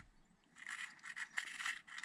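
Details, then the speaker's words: Arrma Vorteks RC after only 3-4 battery packs: dry scraping each time the gear is turned by hand, with the gear floating; the owner suspects a missing shim or spacer. "it rubs. Am I missing a shim? It almost seems like there's a shim missing."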